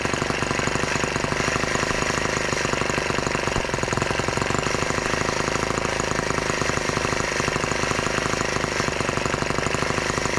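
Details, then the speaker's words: Brand-new TR1 model tractor, first start, throttle locked, warming up in place: fast, even single-cylinder chatter at steady idle with no misses or surges; normal idle, carburetor may need adjusting. "doesn't seem to run that terribly bad i'm sure we can adjust that in a little bit"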